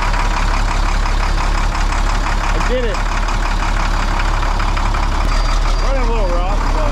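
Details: International 4900 diesel bucket truck, first run after sitting 5 years: steady, even low diesel chug with no knocks or misses, holding a smooth idle; running healthy.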